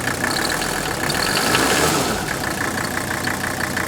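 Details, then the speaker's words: Mercedes W126 300SD diesel being run up with the hood open: a sharp, regular clatter about three times a second over the revving engine. Injector nailing, probably from old fuel (suspected). "Let's run it up a little bit. You can hear the injector nailing. Probably got old fuel"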